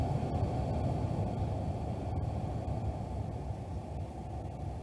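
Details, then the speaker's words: 2013 Ford F150 with no blower air, after replacing burnt blower motor resistor: airy fan rush at full high easing smoothly as switch is cycled down through speeds; resistor working on all speeds. "And now all I'm going to do is just cycle the blower switch and make sure it slows down like it's supposed to. Right now it's on full high. Hopefully you can hear that. Now we're slowing it down."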